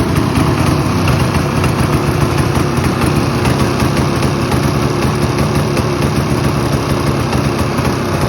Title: Ski doo summit misfire issue